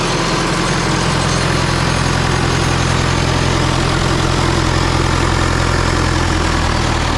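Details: Rebuilt John Deere 2020 diesel first run after rebuild, on a jump starter, some fuel leaks: even low chug at steady idle, no knocks or misses; started fairly easily, normal healthy idle.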